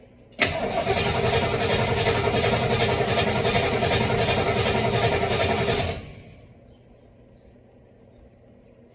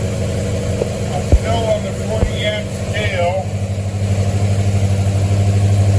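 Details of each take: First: 1973 Mustang after a 1G-to-3G alternator conversion, throttle pumped before cranking: starter turns the engine evenly at about 214 pulses a minute for five seconds but it never fires. Cranks great, strong battery, no start. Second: 1973 Mustang V8 after a 1G-to-3G alternator conversion, started while the voltage is monitored, reading 14.23 volts: catches after a couple of cranks and settles into a steady, even low idle with no knocks or misses; normal idle.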